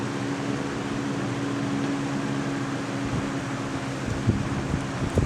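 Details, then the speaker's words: 1998 Lasko 3700 Ultra Force 20-inch box fan, on medium: smooth, even rush of air over a faint steady motor hum, no rattles or wobble; running normally. "as you can tell there like i said it's loud it's louder than the i think that this must be because the wheels they're just they they muffle some of that sound"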